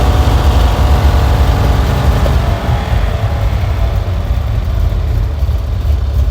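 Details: Vintage car's engine, choke pulled: low, steady idle with an even beat and no misses, knocks or hiss; normal idle.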